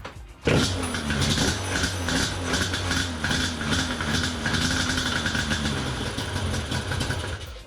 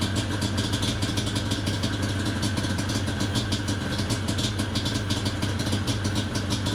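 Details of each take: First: Yamaha Banshee 350 twin two-stroke on non-stock carbs, after carb and throttle slide adjustment with air filters on and thumb-throttle electrical part removed: fires up and settles into a fairly even burbling idle instead of dying. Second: Yamaha Banshee 350 two-stroke after quick carburetor clean and exhaust adjustment, warming up, choke then off: rough, uneven burble with irregular popping, dies as soon as throttle released; will not idle, possibly rich mixture and smoking, cause unconfirmed.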